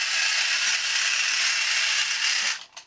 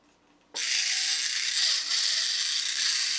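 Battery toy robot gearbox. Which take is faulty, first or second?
first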